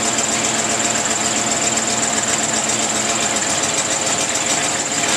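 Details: 1934 Ford flathead V8, first start in 30 years after a distributor and coil rebuild, new plug wires, lubricated cylinders and an oil change, fed from a temporary gas can: steady, even running with no knocks or misses.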